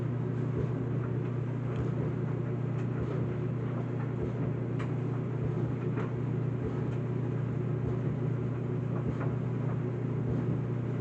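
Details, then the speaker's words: Whirlpool WED9500TW dryer drying a load of colors on the Normal cycle gives a steady, not-too-loud drum rumble with a soft bumping as the load tumbles. The owner says it has always made this noise, so the run is normal. "Like you just hear the sound of it, of the dryer. Like it isn't too loud. Like I can hear a bumping noise."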